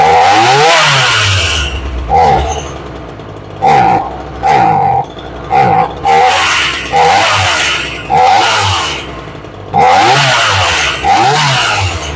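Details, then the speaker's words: Ryobi 3818 chainsaw that sat all summer, after carburetor tuning: blips to a sharp screaming rev and drops back repeatedly; high-speed screw needs a little more fuel, still slightly lean. "it's pretty close little bit more fuel on the high side"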